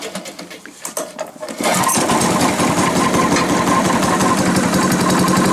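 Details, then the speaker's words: Challenge Xtreme 3.5 hp 4-stroke lawn mower on a nippy day, held with cable ties: after a few pulls it catches and settles into an even, steady putter with no knocking or tapping; runs fine. "Right, sounds alright really, doesn't it, eh? No knocking, no nothing, no tapping. Sounds nice."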